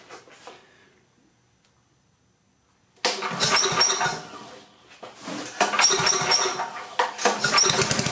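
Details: Coleman Powermate 6250 generator, 10 hp Tecumseh engine, fuel drained clean and on full choke: a few quiet pulls, then it catches and runs with a rapid even beat that firms up; starts and keeps running.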